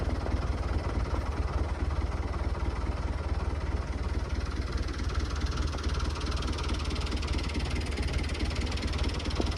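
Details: Lifan 7hp GX200-clone engine on Frontier OS18 sawmill after fixing zero compression from blown head gasket (loose head bolt), retorqued and valve lash set: steady even low thrum, running smoothly.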